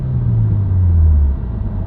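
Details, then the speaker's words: Subaru WRX driving, interior mic: low buzzing hum that rises in speed and pitch with road speed, unchanged in or out of gear and independent of revs; dealer diagnosed broken center-diff viscous coupler. "The interior of a car with a broken viscous coupler. Can you hear that little buzzing noise? It'll speed up and get higher pitch as I go faster."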